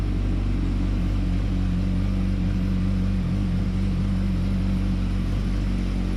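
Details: 2007–2008 Yamaha R1 cold start after shimming and welding the slipper clutch retaining springs: steady, even idle rumble with no clutch basket chatter or rattle; clutch repaired and normal.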